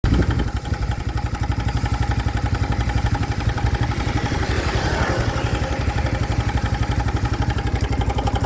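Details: New 2025 Honda Biz engine makes a new abnormal noise after being accelerated to under 70 km/h: about three heavy, regular thumps per second over the idle; cause unclear.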